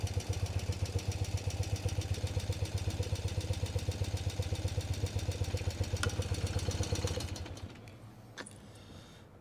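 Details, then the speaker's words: BMW R60/7 boxer motorcycle after contact-point setting, carburetor tuning and electronic ignition install, idle raised slightly after it stalled: even, steady idle at about four firing beats a second, no misses or knocks, then shut off; runs solidly, takes throttle well. "Now it works solidly on the reverse, it also takes nice throttle."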